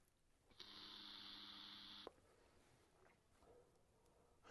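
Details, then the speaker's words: Vaporesso Xros 5 Nano vape, airflow fully open, quiet room: thin, steady electronic whine for about 1.5 s while drawing, then cuts off cleanly; chipset activating, considered normal and tolerable. "Alors bruyant, c'est pas la vape qui est brillante, hein. J'ai ouvert à fond. C'est c'est vraiment le le chipset qui se met en route."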